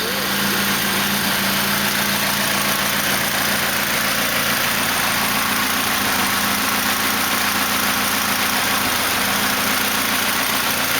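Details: 1991 Honda EF hatch with freshly rebuilt D16Z6 replacing a blown engine, stock P28 ECU tune, idling around 950 rpm with no check engine light; even, steady idle with no misses, knocks or hunting, smooth and healthy.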